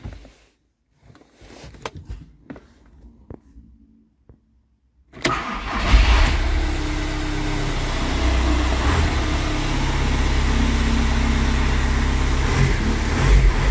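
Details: VW Passat diesel with a cranks-no-start fault (codes P0322/16706, engine speed sensor G28 no signal): quiet ticking and a couple of clicks, then it catches and settles into a steady, even idle with a low rumble.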